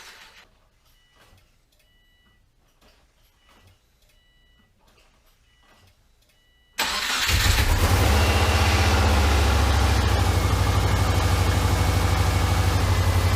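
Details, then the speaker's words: Subaru Forester with rebuilt EJ251 engine, first start after reinstallation: after quiet clicks it catches and settles into a loud, rumbly idle with a raw exhaust note; front pipe leaking, quieter once warm. "well the front pipe is definitely leaking sounds rumbly though yeah makes about the same amount of noise as it did"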